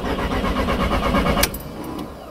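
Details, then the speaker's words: Mk1 Audi TT on its first cold start of the morning: steady cranking for about a second and a half that stops without catching, then it starts on the second try. Owner suspects an inefficient fuel pump. "we did hear the pump working but i think the pump's not working efficiently which is why um yeah okay so"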